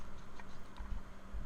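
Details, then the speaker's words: Water pump removed from a 2008 BMW X5 E70 4.8i, apparently original since new (impeller dated June 2007), spun slowly by hand by the pulley. Faint irregular ticks and rough scraping, suspected bad internal bearing; the pump was replaced. "It sounds like it got a bad bearing inside when I heard this noise I decided to replace the water pump"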